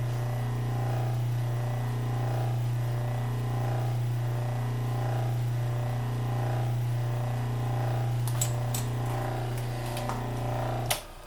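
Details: 1936 Maytag Model 30 washing machine, freshly cleaned after decades of storage, restarted after about 30 minutes of running: steady low motor hum with a gentle, even churn; no knocks or grinding, running normally.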